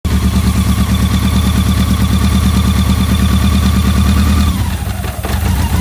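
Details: BMW K100 four-cylinder, where a dirty #4 injector plug had caused a no-start: even, steady idle with a smooth low pulse, then revs fall away; running normally.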